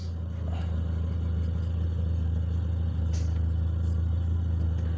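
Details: DX car with a Wingas regulator, after drilling a side hole at the regulator: smooth, even low rumble with no hunting or dips; clean, even idle.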